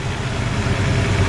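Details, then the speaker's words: 1964 Ford Falcon after fitting a new carburetor and battery: steady, even low idle rumble with no stumbles, misses or hunting, smooth where it had run rough the longer it sat; normal idle. "it's not running rough really much oh yeah that's a lot better now i don't know if you guys heard before but it was running pretty rough the longer it sat so now it's back up smoothing"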